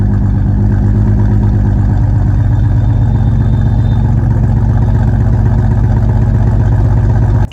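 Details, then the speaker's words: BMW 330i idling right after start-up following a major service (new spark plugs, VANOS actuator, valve cover gasket) with a low, lumpy pulse, misfiring on cylinders 3 and 4; swapping the coil packs between them cleared the error. "गाड़ी start तो हो गई थी but miss fire कर रही थी on cylinder number थ and फ तो ध्यान से सुनो जब गाड़ी स्टार्ट हो रही है तो इंजन मिस फायर कर रहे हैं"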